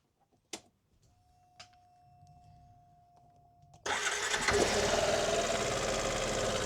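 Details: Yamaha XMAX scooter, 8 years owned, after replacing the cam chain tensioner (part 5TNE22101000), with the airbox disconnected: a key-on hum, then the engine runs evenly. The former top-end slapping is gone and the fix worked.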